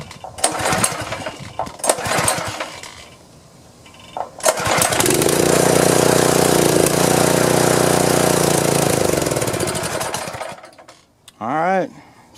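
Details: Power washer that won't start, choke and fuel on, primed with carb cleaner: several pull attempts, then catches and runs rough about six seconds before dying; suspected fuel-starved carburetor to be removed and cleaned.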